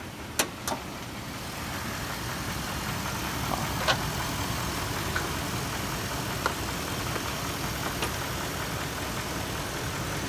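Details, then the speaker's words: 2007 Dodge Durango 4.7 L engine keeps running normally with the key removed, hood open; steady, even idle with a soft low rumble and light clicks; the run-on is caused by a faulty ignition switch, which is then replaced. "go ahead and take the key out and if you can hear that go ahead and pop the hood and I'll show everyone that the engine is still running it's a 4.7 liter engine Dodge Durango 2007 edition"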